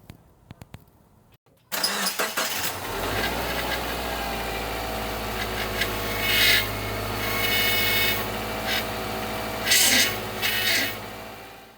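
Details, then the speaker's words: At start-up, a persistent high whine rides over the idle of a 2011 Subaru Impreza Outback Sport power steering pump, present for weeks. Fluid leaks where the upper feed hose meets the pump, and a failed O-ring is assumed; this is before the repair. "It has been making a pretty awful winding noise uh for the last few weeks. Um found that there is a leak where the upper hose comes into the uh power steering pump from the reservoir."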